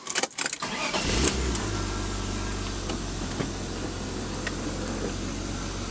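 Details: Car after installing a Mishimoto oil cooler and priming oil with the fuel pump fuse removed: brief crank catches at once, then steady, even idle with no knocks or misses; no leaks seen, engine healthy.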